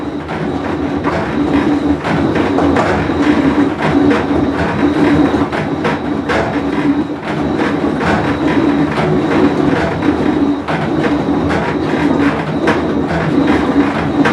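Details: Whirlpool Cabrio washer with bad bearing, full wash cycle; loud grinding rumble swelling and dipping as tub turns, clattery knocks; tub bearing rumble.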